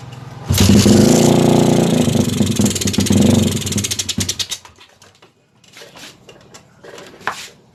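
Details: Suzuki GD110 scrambler that previously would not start, now with new spark plug, timing checked and strong spark: crisp single-cylinder bark revving strongly about four seconds, then quiet pops; fires cleanly and pulls well.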